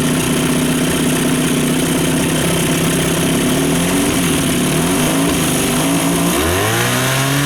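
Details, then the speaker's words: Normal idle on a two-stroke outboard after a fuel system refresh (carb cleaned, fuel pump replaced, bad fuel flushed); previously would not idle: steady even idle, smoothest yet, then revs climb smoothly toward fast idle. "happens okay so I'm not going to argue with that that's smoother than she's ever idled"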